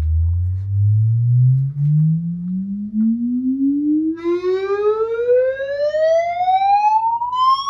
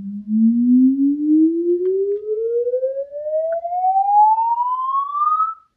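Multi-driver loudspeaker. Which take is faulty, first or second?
first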